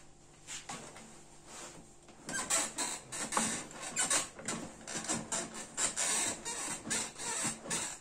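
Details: Cyberground GENESIS gaming chair, six months of near all-day use with a badly compressed seat: irregular squeaky creaks in bursts about once a second as the seat shifts under load.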